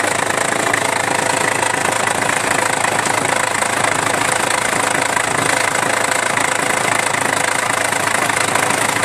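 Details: Isuzu Rodeo engine idling with timing belt cover removed: fast steady slapping about four beats a second from a very loose timing belt flopping because its tensioner (gas-spring type) failed; belt hasn't yet jumped a cog, timing to be checked.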